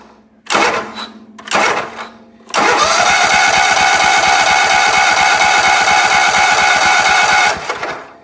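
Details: Sears ST/16 garden tractor that sat for a long time, with a replacement battery fitted and a broken key switch. Steady, even cranking at about three turns a second for five seconds, never firing; cranks but won't start, fuel or spark suspected.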